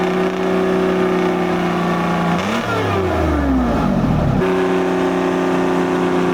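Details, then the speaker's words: 1973 International Transstar 4300, 12V71 Detroit diesel sat since 1986, after fuel return flow check: steady drone, then a quick rev that sags and recovers to even idle; cylinder temps within 10°, owners suspect a little air in the fuel. "What if it just had a little air in it?"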